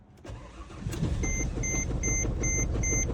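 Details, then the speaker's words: Car started with a VTOMAN X7 jump starter on boost, battery too weak to start on its own: brief starter whir, then the engine catches and settles into a steady idle with faint chimes over it, clean start. "Whatever you have, even if 1 battery left charge, it can turn your car right up."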